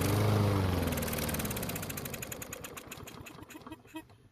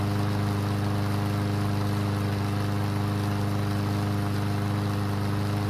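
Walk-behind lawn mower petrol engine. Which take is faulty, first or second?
first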